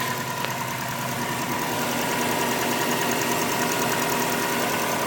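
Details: 2002 Subaru Impreza WRX at steady idle with a light, fairly even tick about three a second over the engine hum, heard on both sides under the hood and seemingly internal; source unknown.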